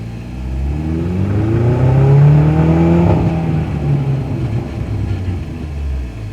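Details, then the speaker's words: VW Polo 6n2, off the road for six years, driving after propshaft balance weight work: smooth rising drone with only a slight scrape underneath and no rhythmic banging from the prop shaft balance weight; normal driving, no driveline knock. "so far so good you can hear a slight scrape underneath not sure if you can hear anything on the camera but yeah slight scrape but there's no Bang Bang Bang Bang Bang from that balance weight of the prop [Music] shaft"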